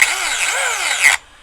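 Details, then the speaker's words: Arrma Big Rock RC truck at a BMX track: a high electric whine sweeps with throttle but the truck has no drive. The motor spins free; the owner suspects a stripped spur gear or input gear. "she is free spinning now we're gonna take this thing back in the truck and see what's going on well guys the granite is dead at the moment as you can probably hear"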